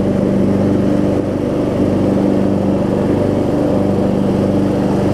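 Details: Craftsman DLT3000 riding mower with Briggs engine, after replacing camshaft and compression release and reassembly: steady, even single-cylinder drone at constant speed, no misses, knocks or surging; engine running smoothly and healthy, no leaks or smoke.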